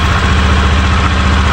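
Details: Honda Beat FI v2 scooter after replacing the crankcase bearing's worn copper centre with a new part, steady even idle from the drive side with no rattle; the earlier ticking, gravelly noise is gone; normal idle.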